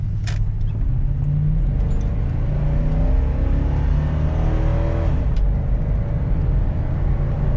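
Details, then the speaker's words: Suburban on a road drive after a tune-up with a new distributor cap for a spark timing issue: a deep, steady rumble pulling evenly under road noise, power and response restored; normal running, owner suspects a separate bearing or pulley whine. "beautiful we got the speed now boys she's got a power back I feel so much better now I don't even you guys don't even know but it feels more responsive and that sounds better"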